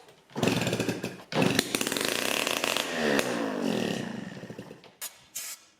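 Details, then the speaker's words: Yamaha QT50 moped (78 or 80) kick-started during muffler troubleshooting; the muffler later proved not blocked: ragged burst of popping with smoke for a couple of seconds, then dies; fires briefly but won't keep running. "I'm gonna have to give her a kick and see what happens. She just popped off a little bit, as you can tell by the smoke."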